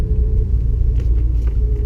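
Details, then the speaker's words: Honda S2000 test drive during purchase inspection, figure eights at low speed in a parking lot: low steady engine rumble, no knocks or clunks from the suspension while turning; suspension sounds smooth. "knocking sounds everything sounds pretty smooth very good sometimes if there's a suspension issue you'll hear at this point"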